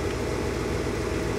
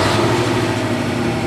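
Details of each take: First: Car stereo at engine idle after fixing a ground loop by grounding the stereo directly to the amp and removing other grounds; no RPM-linked whine or hum through speakers, audio clean. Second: Car stereo at engine idle, no radio playing: constant electrical hum/whine through speakers and subwoofer, rising and falling with rpm; ground loop alternator whine, fixed by grounding stereo directly to amplifier.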